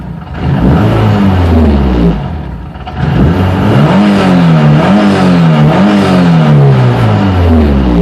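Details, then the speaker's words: 2003 Hyundai Tiburon 2.0 Beta II, MS2 swapped to Megasquirt MS3X, GT3076R turbo at 26 psi, meth injection, Pauter rods and CP pistons (9:1): sharp throttle blips rise and fall cleanly without stumbling, a normal free rev. Idle hunts slightly from manifold heat soak. "for the sake of this just give some blips of the throttle"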